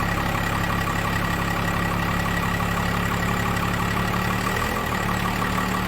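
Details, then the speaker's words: 1998 Dodge Ram 2500 12-valve P-pump Cummins diesel, 687,000 km, after valve lash adjustment (intake/exhaust ten/twenty thou): steady, even idle with low deep rumble, no loud top-end ticking; running way better already. "running way better already"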